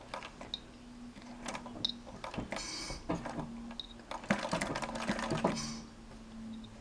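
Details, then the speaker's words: Singer model 1588 sewing machine now running on treadle with spring coil belt after lip-support blocks were added: light, even ticking from needle and mechanism at modest pace, no belt whine; very quiet, slower than with motor, healthy. "very very quiet machine now not as fast as with the motor but I'm not sure that's a big issue"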